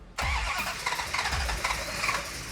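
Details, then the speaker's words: Restored 1969 Dodge Charger V8 after gas pedal pumped; starter cranks freely at an even pace with no catch or fire, crank-no-start; suspected cause ignition timing too retarded, plan to advance distributor, not confirmed. "I think it needs more timing. When you hear an engine crank so easily and it doesn't quite want to fire, most likely the timing is in a retarded position because if it was too far advanced, it would kick back at you."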